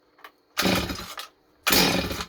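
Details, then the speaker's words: Stihl 025 chainsaw started with the choke on and the trigger held: two pull-start bursts with a sharp pop as it briefly catches, the cue to knock the choke off. The saw is suspected of an air leak that makes it idle too fast. "I pull my cord and listen you got to listen for the song to go it's gonna pop that's what we call it"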